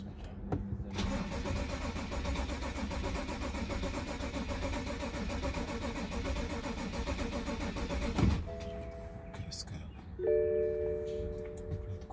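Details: 2014 BMW 535i (F10) cranks evenly and steadily for about seven seconds but never catches or fires. Battery had gone dead earlier, the control unit may not be communicating properly, and a leak is suspected. Crank, no start.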